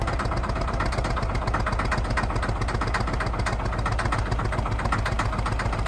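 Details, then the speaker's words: Truck engine with a suspected blown head gasket, which failed while driving through a canyon, flat-towed home, heard at full throttle: heavy, ragged, uneven rumble with no clean pull. Exhaust is pressurizing the coolant system and coolant and oil are mixing. "not a fun sign obviously a ton of pressure is going into the coolant system right now"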